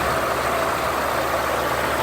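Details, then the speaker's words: 1978 Cadillac Eldorado Biarritz V8, started on a battery box, with clean oil about a quarter quart low: a smooth, even idle with a steady rumble and no tapping or stumbling. Normal idle. "Engine sounds good. We heard it run already."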